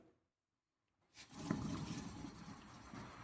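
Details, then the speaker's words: 2018 Nissan Versa wheel spun by hand: after silence, a coarse, gritty, continuous growl as it turns; worn wheel bearing. "Tenemos este es un Vera 2018, llega por un sonido de valeros. Escuchen muy bien cómo suena un valero malo antes de que yo les platique el por qué."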